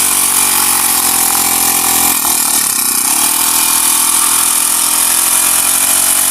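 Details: Honda GX35 grass cutter after cleaning its dirty carburetor; spark plug, fuel filter and clutch were fine: small four-stroke buzzes evenly at a steady high idle and revs without stumbling or surging. Normal idle and revving.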